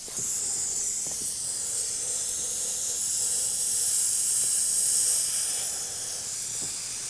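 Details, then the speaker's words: Car tire with the nail just pulled out of the tread with pliers, before a repair screw is fitted: a steady high hiss of air escaping from the puncture holds constant throughout; tire puncture air leak. "Oh yeah, that is leaking. Can hear it just leaking out."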